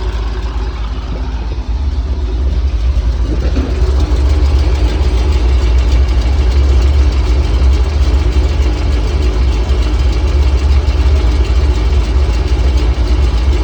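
Fast, loosely regular ticking of about three per second over a low, steady idle; a tick that could be a lifter or an exhaust leak. Cause suspected, not confirmed.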